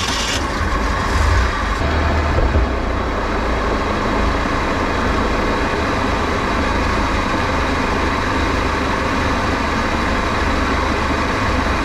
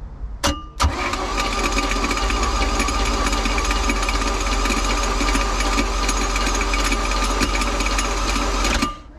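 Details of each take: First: Flood-washed Bayliner boat, alternator overcharging 16 volts, hull taking on water, running on the water at full throttle: strong, steady roar with no misses or surging; running good. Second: Flood-washed Bayliner boat engine first crank with a donated used GM starter: harsh metallic rattle over the starter whir, later traced to a pushed-out freeze plug probably dangling at the back, catching on the flywheel.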